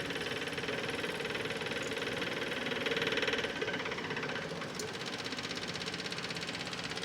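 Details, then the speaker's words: Kubota MX5200 HST tractor after fuel filter and water separator service: key on, engine off, filter-housing vent plug open about two turns; rapid, light, steady ticking as the electric fuel pump purges air. "you're all full up there now that pump should purge all the water all the air out of the system and it should just recirculate then back into the tank"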